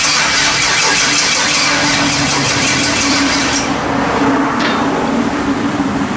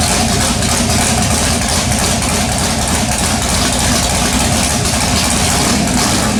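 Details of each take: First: LS-swapped S10 pickup with MSD ignition, first start attempt: starter cranks steadily for several seconds without firing; carbon-fouled plugs suspected, which were then pulled and cleaned, coil wiring checked. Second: LS-swapped S10 pickup with MSD ignition, after cleaning carbon-fouled plugs and checking coil wiring: engine fires and settles into a steady, dense V8 idle with even rumble, no misfire or stumble.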